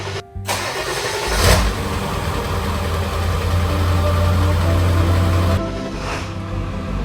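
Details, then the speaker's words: 2001 Ford F350 with 7.3-liter Powerstroke diesel, just after a new fuel filter was fitted: starter cranks briefly, engine catches and settles into a steady even idle clatter; starts and runs well, no odd noises or fuel leaks. "All right, so it starts up and it's running really good. Isn't making any odd noises."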